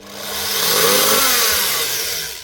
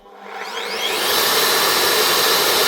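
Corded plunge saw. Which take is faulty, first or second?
first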